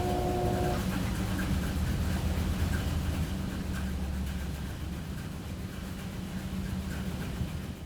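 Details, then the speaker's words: High-efficiency washer at the end of the first spin stage: deep whirring hum that steadily drops in pitch and fades as the basket coasts down to a stop; a normal sound. "As the first spin stage comes to an end, the basket will slow down until it stops."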